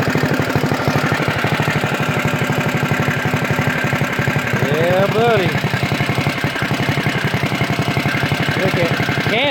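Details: CT200U-EX mini bike, governor removed, PVL flywheel, Mod 2 cam, 22 lb valve springs, ARC billet rod, RVL exhaust, Mikuni carb, just reassembled: crisp, even single-cylinder thump at steady fast idle, no knocks or misses; healthy.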